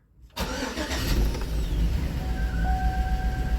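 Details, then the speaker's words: 2007 Chevy Tahoe 5.3 V8, 310,000 miles, P0300 misfire: cranks, catches, then uneven lumpy idle with a missing cylinder. "it is in fact [Music] missing so let me shut it down"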